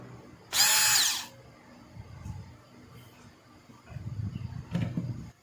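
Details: Hand blender (stick mixer) test run after repair: a short, even high-pitched motor whir under a second with no rattle or stutter, then it stops. The fault had been the carbon brushes, one completely used up.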